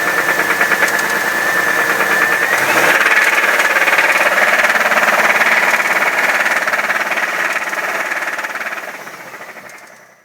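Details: 1997 Camaro with 3800 engine, a bad motor; hard, regular knocking about three times a second under the engine note, climbing with revs then fading at shutdown; engine knock, source unknown.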